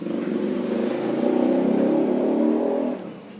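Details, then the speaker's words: Honda Beat scooter CVT belt drive: steady low droning hum with fast pulsing flutter, quiet on throttle but louder when easing off and fading as revs fall, before repair; worn rear pulley bearings. "Nah jadi suaranya itu ketika turun gas ya ketika turun gas yang lebih kedengerannya kalau ketika di gas itu suaranya kecil tapi begitu turunnya baru itu mendengung"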